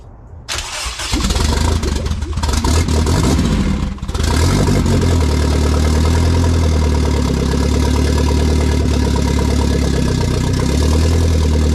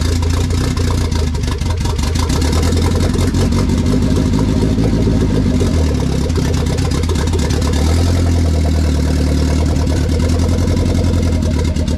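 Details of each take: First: K20 turbo RHD Honda Civic wagon, first start on a startup base map with no radiator fitted, push-button starter, in neutral on a cold day: catches and runs choppy with an uneven beat, then settles into a steady idle; rough first start. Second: K20 turbo RHD Honda Civic wagon after its first start, on a startup base map with no radiator fitted: steady deep idle holding on its own, then clean rising revs that drop back smoothly with no misses; normal idle and free revving.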